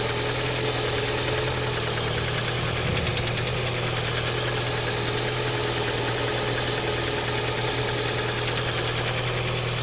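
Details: Engine knock at idle: steady fast ticking knock about three a second over the engine hum; origin unknown.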